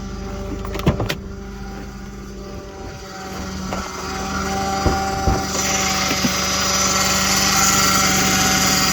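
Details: Audi 3.2 at cold start idle: steady thin whine over the engine note with a hiss building later; source of the whine undetermined.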